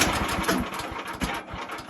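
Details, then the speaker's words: Woodland Mills sawmill small single-cylinder engine started and idling, throttle not pressed so the blade is not moving: quick, even putter with no knocks or misses, normal idle. "So, as you see it started and it's running. That is not moving."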